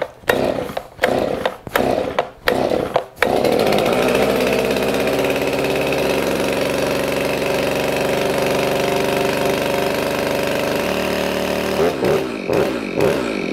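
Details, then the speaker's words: Stihl MS391 chainsaw after start, choke off and set to high idle: a few sharp throttle blips, then a clean steady high-pitched run without stumbling or bogging, running normally, before muffler mod. "Once you hear it try to run on its own, you want to take that off a choke. Just click it up in the high idle."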